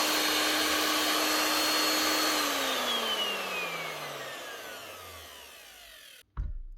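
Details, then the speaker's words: DeWalt DW625E type 5 half-inch router after replacing its two bearings (6201 and 6005): clean steady high motor whine, then a smooth falling coast-down after switch-off with no rumble or grind. Runs smoothly again after the repair. "look at that up and running again no problem smooth as anything now all that needed two bearings a 6201 and a 6005"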